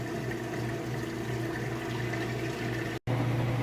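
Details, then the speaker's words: Kenmore top-load washer on the final spin of a heavy-duty cycle with a load of heavy jeans, at full speed. Smooth, even motor hum at a steady pitch with no knocking or rubbing. Normal spin cycle. "and we're back on that final spin cycle I've given it just a minute here to get to full speed"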